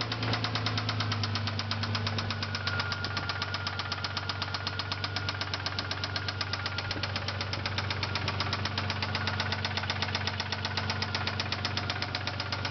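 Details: 1999 Isuzu Amigo S 3.2 L at idle: steady, sharp, loud knock about four per second; owner suspects rod bearing rather than valve, unconfirmed.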